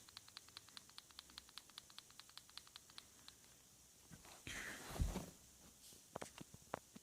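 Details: Quick light clicks, roughly four a second, follow each shake of a Samsung Galaxy Note 4, shaken with the camera off and then on; something loose rattling inside the camera module.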